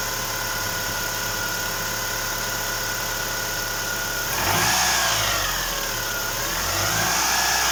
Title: Стук гидрокомпенсаторов Ховер Н5 2.4 бензин